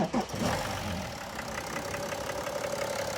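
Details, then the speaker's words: BMW X3 E83 M57 3.0 litre diesel after new oil, cleared catalyst and DPF, six new glow plugs: catches quickly after short crank, settles into steady even idle with a light tick; normal start, earlier starts were horrible. "so previous starts did not have that they were all horrible"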